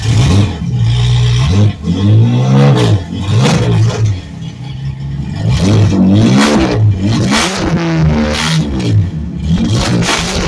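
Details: 1970 Ford Torino turbo inline six, mufflers bypassed, cutout cap off and cutout open on restart after cooling a few minutes: deep loud exhaust rising and falling with throttle blips, clean even revs, normal loud unmuffled exhaust.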